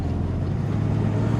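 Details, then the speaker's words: One-owner, all-original 1967 Ford Mustang, 289 V8 (200 hp) with a C-4 automatic, running on bad old gas. Deep, even V8 rumble with no misses, knocks or stumbles: still runs great. "listen to it it's got bad gas in it still runs great"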